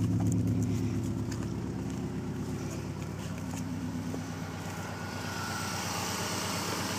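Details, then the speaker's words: 1995 Subaru Legacy wagon, replacement motor about 87,000 miles (body 163,000), just started after sitting overnight: very low, even exhaust rumble at idle, steady with no misses or knocks. No check engine light; runs smooth. "and you can hear the exhaust a little bit it may not be that good in the video but it's a very low"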